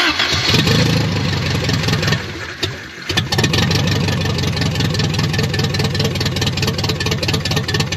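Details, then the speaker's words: 1983 Toyota 22R just fitted with a new Flotech short-tube header and new gasket, running open headers with no exhaust pipe: catches after a few seconds into a harsh, raspy, very loud, fast popping idle. "open headers on the 22-hour sound so disrespectful if I was in my 20s I would run it just like that"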